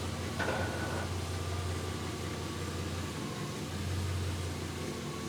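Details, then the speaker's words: 1999 Jaguar XK V8, said to be the 4.0 L, after a crank-no-start apparently caused by bore wash. It finally started once compression built up and now holds a quiet, steady, even hum with no misses or knocks. "so it seems to indeed be B wash that was the problem it started up it took a while to actually build the compression"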